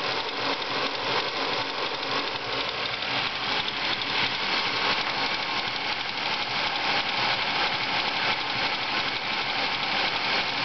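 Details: Ford Focus engine at idle: steady light tick about three per second over even idle with thin hissy background; owner suspects water pump or worn bearing, source not confirmed.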